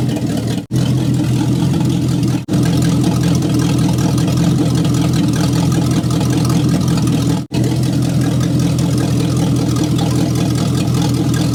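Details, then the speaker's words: 1962 Cadillac DeVille 390 cubic inch V8, first run after 30+ years parked, vacuum leak at throttle adapter plate plugged, idle raised, needs an exhaust: deep steady open rumble idle with no knocks or misses; normal idle. "all right runs good sounds good needs an exhaust but it sounds [Music] good"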